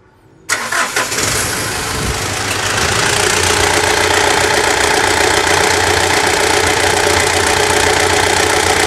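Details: Mitsubishi Triton Savana manual, 150,000 km, serviced for first gear popping out and gearbox noise: starter cranks briefly, engine catches cleanly and settles into a steady, even idle with no misses or knocks; healthy start.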